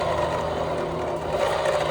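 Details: Honda Vario 150 scooter, rear wheel spun by hand with CVT cover: steady gritty whirring grind from worn CVT driven (rear) pulley bearings.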